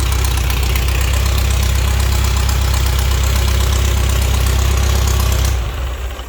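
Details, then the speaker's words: Pre-war Riley Brooklands engine, first run with straight pipes, no muffler and no coolant, carbs flooded via tickling pins: loud, deep, even exhaust rumble with steady firing pulses; idles cleanly, normal idle. "well that worked fine uh it's really loud cuz there's no muffler on it of course it's just straight pipes um that seems to be working great"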